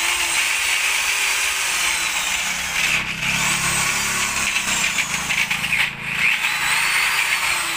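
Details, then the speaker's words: Repaired hand drill, bearings and carbon brushes swapped from a donor drill, test spin; steady high motor whine that dips and recovers cleanly, smooth brushes and bearing with no grinding or sparking crackle; normal drill running. "Susubukan natin 'to kung okay ba siya umikot."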